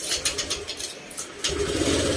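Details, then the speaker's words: Honda Click 125 scooter, briefly run without radiator after spark plug replaced and compression checked: starter cranks in short chattering bursts, then engine catches and settles into a steady, even idle; normal start. "Okay, ayan mga sir, umandar na. Ayan, start na."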